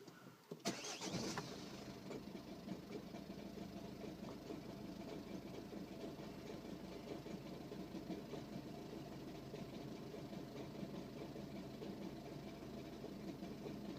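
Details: 2011 (61 reg) Ford Focus 1.6 TDCi diesel cold start after sitting over 10 hours, cranks and catches then a loud, harsh, clattery rough idle; only happens in the mornings, cause unknown.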